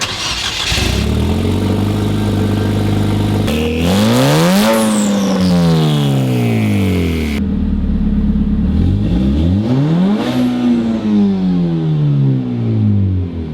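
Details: Nissan Juke started after in-tank low-pressure fuel pump replacement, pump primed by cycling key on/off; engine catches and revs up smoothly twice, pitch rising and falling cleanly with throttle, no misses or knocks; normal start and idle.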